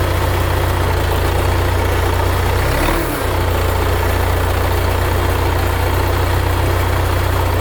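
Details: 1975 Case 680CK backhoe diesel, first start after long storage with new batteries, fresh oil and coolant, throttle reset: low, even chug at steady idle with no misses or knocks; normal idle.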